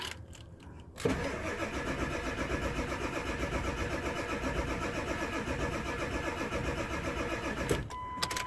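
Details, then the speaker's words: 1999 Ford F-250 7.3 Powerstroke diesel, sat 3-4 years, after fixing flipped power distribution wiring: about seven seconds of steady even cranking, never catches; crank no start from no injection oil pressure. "no start yet. But that's all right. This thing's been sitting for like 3 to 4 years."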